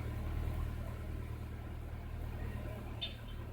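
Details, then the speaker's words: 1999 Mercedes A160 with a hard-start complaint (worse in the morning, many dashboard warning lamps), restarted in the afternoon: catches and settles into a steady even rumble with no stumbling; the hard start is not reproduced. "I didn't detect any hard start I'll do it again off try it [Music] again seems to start cying by me"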